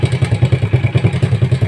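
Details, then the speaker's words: Rusi 100 motorcycle that backfired, started hard and wouldn't idle despite a cleaned carburetor and new throttle cable: after fitting a new C7HSA spark plug it starts on one kick and runs with even thumps, no backfire, though a slight clatter remains (spring to be replaced). "So tumino siya non. Wala na yung backfire sumandar siya."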